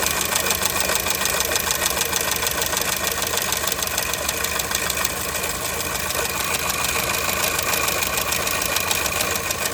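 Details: Engine knock on a 2002 Skoda Fabia at idle: rapid, fairly regular ticking knock over harsh engine clatter; source unknown, owner asking what could be knocking.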